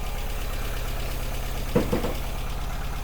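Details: 1985 Ford Fiesta after a no-start fault from sitting in the garage for months, now fixed and starting on the button: low, even idle pulse with a steady beat, no knocks or misses. Normal idle.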